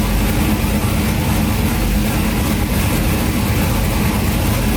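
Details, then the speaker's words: Turbo Cadillac Escalade just fitted with a BTR Stage 3 Turbo Cam, with the exhaust cutout open: a deep, loping cam idle, loud but steady and even, with no ticks, knocks or leaks. Running fine. "Alright, so everything seems to be working pretty good. Didn't hear any funny noises. Nothing's leaking."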